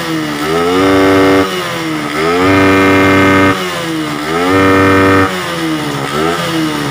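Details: Suzuki Satria FU motorcycle that suffered hard starting, stumbling, exhaust backfire and no power, caused by a torn carburettor vacuum diaphragm. After gluing the diaphragm and blocking off the non-working air-cut parts, repeated blips rise cleanly and drop smoothly with no popping. Normal throttle response after repair.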